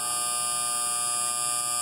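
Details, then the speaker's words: Defrost board on a 1.5-ton R22 split system, heard through an ultrasonic leak detector after the board was reset by shorting the test pins: a constant electrical buzz with a sharp high edge. A faulty relay on the board is suspected. "I just shorted my test pins and that put the board back into operation so can you hear that buzzing"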